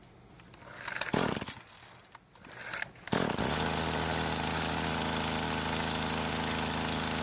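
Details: Craftsman string trimmer repaired after broken fuel lines: handling and pull noise, then it catches and settles into a steady, even buzzing run with no misfire or surging.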